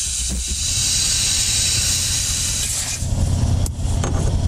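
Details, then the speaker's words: 3.0 TDI V6 Audi Q5 diesel, engine off, pressurized to about 30 PSI with a boost leak tester: steady loud hiss of escaping air; boost leak from a ripped hose at the intercooler, affecting performance. "fill up with pressure that's a woo tell it has a leak pretty good one okay hopefully you guys can hear that I am toggling my finger around we got a leak this affects performance"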